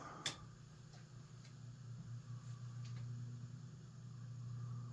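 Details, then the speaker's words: Rattle from a c.1952 Emerson "Roundnose" 52-inch antique ceiling fan, model 86641-AG, running on low after bearing cleaning with WD-40: low hum with uneven ticking about three per second; suspected rough bearings, or a cracked blade and bent arm. "Yeah. Yeah. It's that cracked blade that is uh No, the arm looks messed up, too. Could be. It could be that the what what broke the blade also bent the arm."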